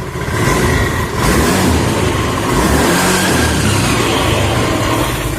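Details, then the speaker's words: Honda Beat FI scooter at about 60 km/h throttle with a coarse droning hum from the CVT, noisy off throttle too; crushed variator rollers found on teardown. "nah ini kalau kondisi kita gas sekitar di kecepatan 60 gitu suaranya kasar mendengung atau floranya bakal nangis ya kemudian turun gas juga berisik"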